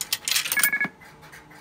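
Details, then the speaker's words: Automatic Electric GTE 120B Touch Call payphone: coin clatters in, then a quick burst of about five high, even beeps, the quarter-deposit signal the operator hears; working normally. "the operator would hear a series of beeps depending on the denomination you uh deposited and that's how they would count how much money was being placed into the phone"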